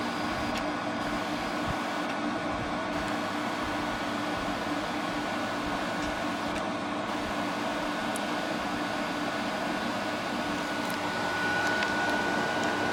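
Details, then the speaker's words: 2000 Glacier Breeze (Hampton Bay/Fedders) HBQ050 window AC after condenser replacement, first run at about 73 degrees room: steady even compressor and fan hum with constant faint tone, no knocks or rattles, getting colder right away; normal running. "So we're going to start it up for the first time, fully assembled, and see what it does. Oh yeah, this thing's getting colder right away."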